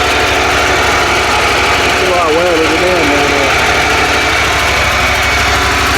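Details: Mower with a 27hp Kohler engine, no spark, fixed by sanding the coils and cleaning the magnet; it now runs with a loud, steady, even beat and no misses.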